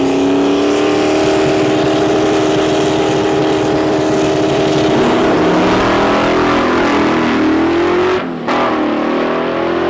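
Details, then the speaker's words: Cowmaro drag car making a track pass with boost turned way up: rising engine note with rushing hiss, lazy out of the hole, boost slow to come on; owner suspects a boost leak. "The cow still fighting a boost leak, and I think it's definitely a boost leak issue. Turn the boost way up, you can still hear it making noise."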